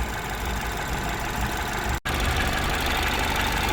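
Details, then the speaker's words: Citroen DS3 with newly fitted performance induction kit, warm after running a few minutes: even steady idle hum with no misses or knocks; everything okay, normal warm idle. "so we've been running now for a few minutes and everything seems to be okay"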